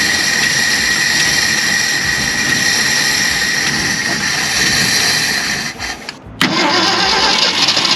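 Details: 1965 Ford Galaxie 500 project car, after revival work: the engine catches and runs with a fairly even hissy beat around three per second, dips briefly, then recovers. It sounds healthy.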